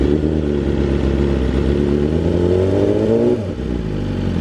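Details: BMW S1000RR carbon build, first start-up, warming until the fans kick in, no coolant leaks: crisp revs climbing and falling smoothly over a steady fast idle, no knocks or rattles; normal revving.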